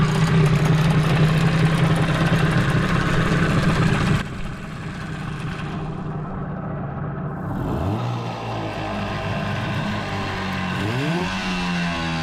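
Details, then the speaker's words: 15 hp Mariner outboard, sat over 2 years, after carburettor clean and warm-up: uneven idle, beat stumbling and hunting, speed wandering; runs rough, owner suspects gearbox housing problem. "There's something going on with the housing. Definitely doesn't run smooth."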